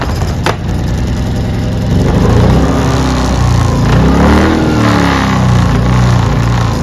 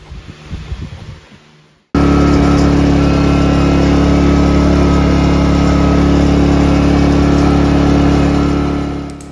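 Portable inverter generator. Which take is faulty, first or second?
first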